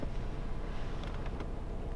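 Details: Opel Zafira A 1.8i (X18XE1) petrol engine idling with a steady, even low rumble and no stumbles or misses; not acting up at the moment, despite owner's complaint of cold-start misfires and stalling; normal idle.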